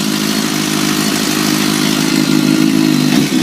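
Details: Kawasaki ZX-10R inline-four started in neutral after an air filter change and reassembly: it catches and settles into a quick, smooth burble with a light blip near the end, healthy and even. Normal idle.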